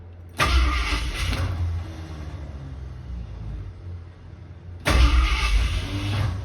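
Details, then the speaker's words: Ford Torino cranking: two short harsh cranking bursts each dropping into freewheeling whir as Bendix gear kicks out of mesh; starter bearing also sounds bad, engine slow to start. "Hear that sound? The Bendix, or the starter gear, kicked back out."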